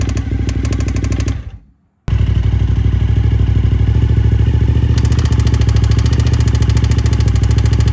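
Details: Suzuki TL1000S V-twin lopes at idle, cuts out briefly, then restarts with a lumpy beat and a faint light tick about three times a second; engine ticking.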